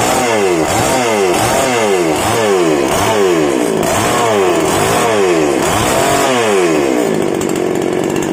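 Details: Small single-cylinder outboard motor warmed up after a gearbox oil change, about two months' use and previously sounding rough, oil suspected: steady even running, pitch rising and falling smoothly with throttle blips, no knocks; healthy.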